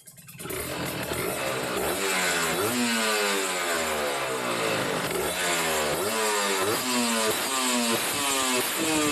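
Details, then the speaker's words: Kawasaki Ninja RR two-stroke, Mikuni 28 carburettor with the air screw set at two and a half turns: a crisp buzz that climbs and falls cleanly through blips without bogging. Mixture set right; normal, responsive revving. "Nah ini ada normal nih Nah itu udah normal ya dua setengah putaran sudah paling enak dan responsif"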